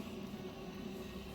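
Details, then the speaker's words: DeLonghi espresso machine about 30 seconds after switch-on, just reassembled after replacing the EP5 pump with an EP4: faint, steady low hum with no clicks or rattles as the boiler heats water before the green ready light; normal heating. "Et en fait, quand le bouton vert sera allumé, ça voudra dire que la chaudière est prête."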